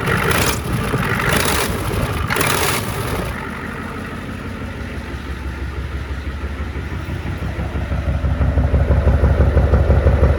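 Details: 1994 Ford F-250 IDI diesel just cold-started after sitting years, no antifreeze, good oil pressure: even idle with sharp puffing tick each firing, about three a second; suspected cracked exhaust manifold with a chunk seemingly missing.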